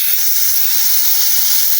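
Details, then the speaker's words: Polytron one-door refrigerator not cooling, compressor off: capillary vacuum tube cut and freon sprays out with a steady sharp hiss, frosting white on the finger and smelling of refrigerant, showing the system is clogged. "Tuh, di jari saya terlihat putih ya. Ini mampet dan ini berbau freon, Teman-teman, bukan angin."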